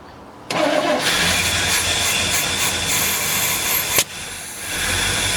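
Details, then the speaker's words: 1972 Chevelle Malibu with its original numbers-matching small-block V8 and automatic, which ran when parked 15 years ago. First sustained start after the fuel return line was reconnected: brief crank, catches, rough but steady idle, then shuts off cleanly with the key. "not woo yeah and it shuts off with the key man this is so exciting I'm so happy this car is running"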